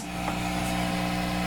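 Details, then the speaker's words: Guitar rig with two amps fed through a Morley ABY switch: steady loud low buzz with stacked even tones from both amps when the second amp is plugged in, an AC ground loop hum. "you get that horrible hum coming from both amps now"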